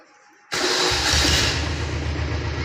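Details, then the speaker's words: Restored Royal Enfield Bullet diesel motorcycle with newly fitted remote start: silence, then it catches at once and settles to a steady, even low idle thump with no knocks; healthy start. "இப்போ start பண்ணி காட்டினாங்க, வண்டி ஓடிட்டுருக்குது. Beat சவுண்டெல்லாம் கேளுங்க."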